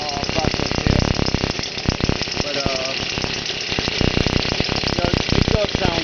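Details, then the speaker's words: X7 midbike with stock 49cc two-stroke weedeater-style motor on a stand, revving; buzzy, crackly note rising and falling with throttle, revs freely; held back because out-of-true rear wheel makes bike vibrate; healthy running. "It could rev up higher than that, but unfortunately the back wheel is so out of bounds that it causes bike to vibrate and it wants to kick itself off the stand that I got it on."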